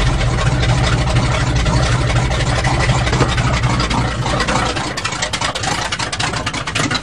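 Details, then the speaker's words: 1977 GMC truck with a 400 V8, carbureted, cold start in cold weather after choke pull-off rod adjustment: deep, even fast idle on choke settling slightly lower as it warms; normal cold-start warm-up idle. "now we'll let her warm up and see if she'll go for a ride sounds like a big block"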